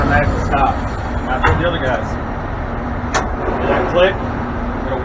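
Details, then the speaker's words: Buck hoist (two-speed joystick, slow mode) stopping at a landing; one sharp interlock click over steady site rumble, normal; doors must not be opened before the click or they slam into and damage the solenoids. "going to wait for that click before you open these doors. What happened? You open the door? If you open it, it slams into that and it'll mess up those solenoids."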